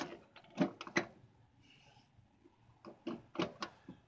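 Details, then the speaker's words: 2015 Hammerhead GTS 150: sharp clicks and clunks as the shifter moves through forward, neutral and reverse, each detent catching cleanly; shifter works normally. "but so far the shifter is running pretty smooth. You can hear it clicking."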